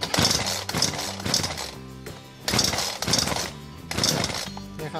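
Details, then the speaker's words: BERALA BL-29X chainsaw that would not start, after draining the fuel and purging the carburetor, pulled on choke: repeated rough pulls with short pops, the saw beginning to catch. "ครับมันเริ่มที่จะติดแล้วนะครับถ้าลักษณะนี้ก็คือมันพร้อมที่จะติดแล้วนะครับ"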